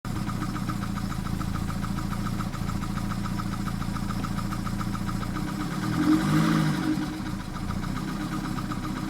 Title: 1991 bmw 318i trying to fix rough idle.